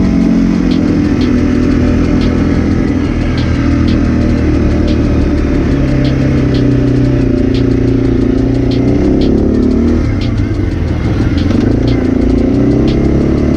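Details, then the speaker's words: 2006 Arctic Cat 400 ATV after engine rebuild (it had earlier died on a hill and lost spark), ridden on the trail under load after cooling. A strong, steady drone rises and falls cleanly with throttle, with no knocking or misses. Running normally. "hopefully we don't have to walk back lady miles and stuff in the tow us back she seems to be running good right now"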